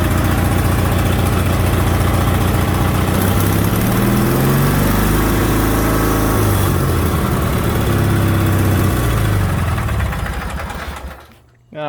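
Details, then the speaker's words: 1987 Craftsman GT18 garden tractor after tune-up (carb gasket, needle valve, belt, battery), warm from driving, little choke: steady, even single-cylinder chug, brief speed swell, then winds down at shutoff; runs healthy. "i just drove it over here so it shouldn't take too much choke to start it up sounds good"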